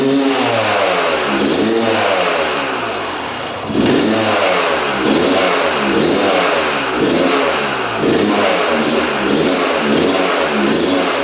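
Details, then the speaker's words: 1997 Yamaha YZ250 two-stroke, previously non-starting, on choke with fuel on: fires first kick, crisp buzz swinging up and down in repeated blips, never settling to steady idle; won't idle. "She fired right up. I'm not sure how it fired, but that was literally first kick. What the heck? That is so strange. It's not idling though, so let's try to get this thing to idle."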